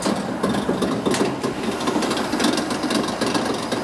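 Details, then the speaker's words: Laundromat machine motor running: loud, uneven rattling and rumble, shaking instead of a clean hum; a bad bearing inside the motor letting it wobble, motor to be pulled and rebuilt. "Yeah, see how it's shaking? It basically has a bad bearing inside it, and it's in there wobbling."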